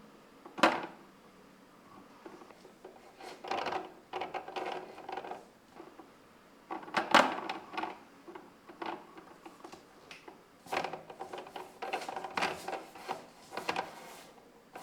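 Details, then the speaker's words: Logitech G923 wheel after the chassis damping mod, force feedback from driving into rocks in BeamNG Drive, mic on the cable, same levels: dull clacks and clunks, still present but lower in volume and intensity. "My G923 is still relatively noisy and does still clack and clunk. It has by no means transformed into a quiet wheel all of a sudden, but those clacks and clunks are much lower in volume and intensity."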